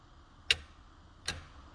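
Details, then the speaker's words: ZF5 manual transmission shifter, shifting second to third: two sharp isolated clicks about three quarters of a second apart as the lever passes into neutral, from slack at the pin in a worn shift-tower hole. "but if you went from second to third, let's see, you get it in gear, hear that click when it goes from into the neutral."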